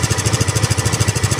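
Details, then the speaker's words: Second-hand scooter checked before buying: quick even putt-putt idle about thirteen beats a second, no knocks or rattles; engine sound judged good, normal idle. "Kumbaga, about sa tunog ng engine niya, goods naman siya."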